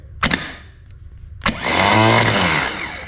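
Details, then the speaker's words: Starter removed from a 1978 IH Scout II barn find, tested on the bench at about 13 volts, clamped down: a couple of sharp clicks then a steady, even whir without grinding or dragging; normal starter motor spin. "That sounds >> healthy. >> Very healthy."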